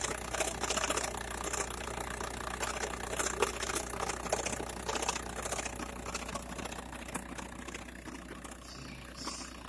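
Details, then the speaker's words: VW Bora/Golf 4 1.9 TDI (AJM) diesel idling: loose, irregular metallic rattle about three per second that stops when the clutch is pressed and while driving; worn dual-mass flywheel, LuK clutch kit bought. "так что так все призраки поломки сцепления на лицо тарахтит выжимаешь сцепление не тарахтит ходу не тарахтит"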